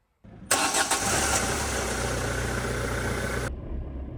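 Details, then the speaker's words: Ford Transit Connect van after the seized starter motor was cleaned, greased and reassembled: short crank, catches straight away and settles into a steady even idle; starter repair worked. "She's a running. So that's all it needed doing. Just needed the starter motor greasing up, cleaning up, and putting it back together."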